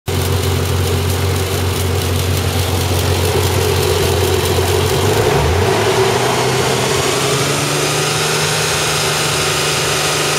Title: 300zx Whining Noise